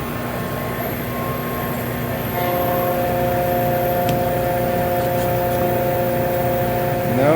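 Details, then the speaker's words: Oil transfer pump for Lanair MXD300 waste oil heater, after reversing lines: steady motor hum with thin whine while running dry, still trying to self-prime. "nothing is showing. It's supposed to be self-priming."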